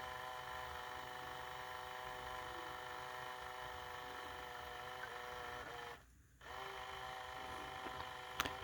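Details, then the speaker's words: Tyco/AFX CC-03 slot car motor during water-dip brush break-in, run about 20–30 seconds then polarity reversed, after reassembly: faint steady high whine with one brief dropout, audible change as brushes polish to commutator; normal. "There we go, starting to hear that. So it polishes, somehow the water ends up polishing the brushes to the commutator."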